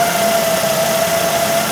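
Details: 2008 Ford Focus 1.8 petrol that lost electrical power and died: steady high squeal at one pitch over smooth idle with all electrical loads switched on, from the engine bay; charging checks fine, alternator bearing squealing, alternator to be replaced.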